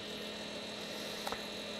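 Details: Squier Jaguar with two single-coil pickups and poor factory shielding: a constant low hum with a thin buzz that drops when the strings are touched, a grounding/shielding fault; a screw may also be missing.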